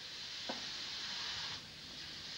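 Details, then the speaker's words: WW2 German mini submarine hull pressurised with pumped-in air to locate a leak: thin, steady hiss of escaping air, clearly audible but location not yet pinpointed; air leak from hull. "air is pumped inside the submarine at pressure it's then a case of listening to find the hissing air but although we can hear it clearly we just can't pinpoint exactly where it's coming from"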